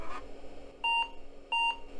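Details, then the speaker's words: Late-80s to mid-90s pizza-box PC after installing four 30-pin SIMM RAM sticks from another system (8 MB counted): two identical short high beeps about two-thirds of a second apart; BIOS requesting setup after the memory change. "and it's mad gotta run setup utility and I'm guessing that's the extended setup it's like having to go talk to the boss every time you make a change"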